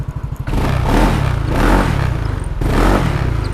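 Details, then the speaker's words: Yamaha Nmax bored up to 200 cc, running after a full engine rebuild for a failed crank bearing on the magneto side that had caused excessive vibration and a grinding rattle; now a low steady hum with throttle swells, no grinding or rattle; healthy. "Sekarang ini motor udah kerakit semua dan sudah nyala. Nyalanya kayak begini."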